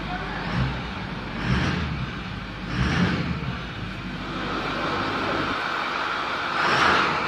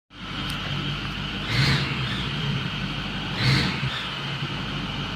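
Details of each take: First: 2010 Ford F350 6.4L diesel after repairing exhaust leaks at both manifolds: blipped several times, revving up and settling smoothly, nice and quiet with no ticking or puffing, no more exhaust leak. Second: 2010 Ford F350 Super Duty 6.4L diesel V8 idling with a raspy, puffing exhaust note that swells twice, from exhaust leaks at both manifolds.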